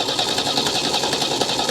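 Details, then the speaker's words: 1975 MGB with a bad starter relay, cranked by wiring the starter wire to a fuse: rapid even cranking that keeps turning without catching, flooded with gas. "give it a minute it is flooded with gas so give it just a [Music] second come on come on come on she is very flooded right now so give her a minute she'll clear up"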